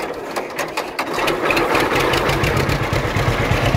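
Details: Restored John Deere H two-cylinder tractor, started on gasoline with choke then choke released. Uneven pops at first, then settles into a steady, loping putt-putt idle; running well.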